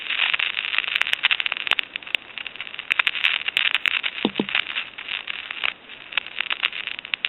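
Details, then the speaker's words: Thomas Collectors Edition Country 1927-style telephone with the main PC board pulled out; after releasing the hook switch there is no dial tone, only irregular crackling static, and numbers won't dial out, pointing to a main board fault. "we'll go ahead and release the hook switch and that's all we get is a staticky type noise"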